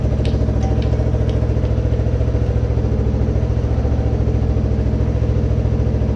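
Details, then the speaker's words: Kawasaki 300 ATV, abandoned beater, just reassembled after a hole repair: steady even single-cylinder putter at about three and a half beats a second, no misses or hunting. Normal idle. "So this thing seems to be running great, so I'm gonna go ahead and take it for a test run and make sure everything else is doing okay."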